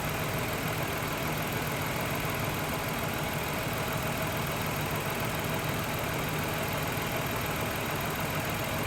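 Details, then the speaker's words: 2000 Toyota Avalon 3.0 VVT V6 idling with a mystery misfire: uneven, fluttering beat with a dropped pulse every few firings and heavy engine shake, a cylinder dropping out, with no misfire counts showing on the scan tool. "okay so I started the engine up and it's hard to see in the video guys I know I got a good high defition cell phone but the engine has a distinct miss you can hear it fluttering it's just going you can definitely tell it's dropping a cylinder"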